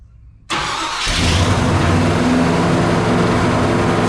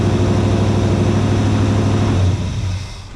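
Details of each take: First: 1956 Chevy Bel Air carbureted V8 with flooding problems, fired up; catches and settles into a fast, steady drone around 1,500 rpm, then shuts off; idle far too high. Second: 1956 Chevy Bel Air carbureted V8, restarted with the key after a short rest; catches at once and runs strong and even, then eases off smoothly; clean, healthy warm start.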